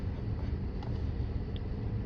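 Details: 2012 Dodge Charger 3.6 V6 at idle, uneven lumpy beat from bank 2 cylinder 2 misfire despite new ignition coils and pigtail; scanner shows cylinder 2 misfire counts; cause found to be burned intake valves.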